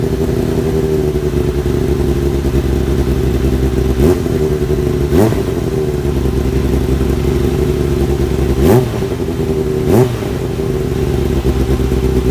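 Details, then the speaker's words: Kawasaki ZX-7R four-cylinder after carb cleaning for idle problem, warming up: steady idle with crisp blips around 4, 5, 9 and 10 s returning cleanly; normal throttle response, more responsive; owner suspects old fuel/debris caused it. "well that uh to me seemed like a bit of a win um like I say it fired up pretty pretty well um and it's more responsive than it was before"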